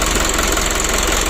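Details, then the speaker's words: Mitsubishi 120 PS Ragasa diesel, first minute after restart following injection pump and nozzle work and fuel-delivery adjustment, fixing engine oil diluted with diesel fuel: steady, even clatter, no misses or extra knocks; normal idle. "kita coba dulu kita hidupkan lele di satelit untuk mesinnya sudah hidup agak menit pertama"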